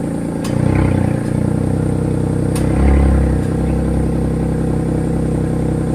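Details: Hyundai Eon with a loud exhaust: deep, loud, raspy blare as the engine revs, far louder than a stock silencer should be; owner asks what causes the race-car-like noise.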